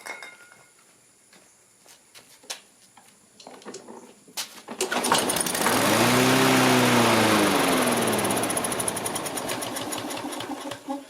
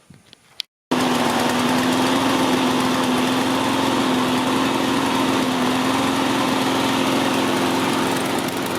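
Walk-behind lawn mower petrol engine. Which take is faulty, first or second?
first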